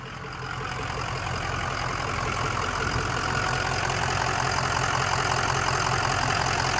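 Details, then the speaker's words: 2005 Ford Excursion Limited 6.0L Powerstroke diesel 4WD, freshly rebuilt engine, 138k miles: steady, even idle with a regular clatter about three beats a second, no misses, knocks or rattles; blow-by test passed, normal healthy idle. "Come around back. Sounds good. Sounds really good. Not too loud. Just sounds nice."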